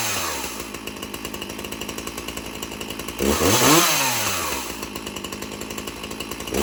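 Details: One of two free chainsaws, still holding up after months: two-stroke idle with even rapid popping, revs up cleanly in a smooth rising buzz, then settles. Normal running.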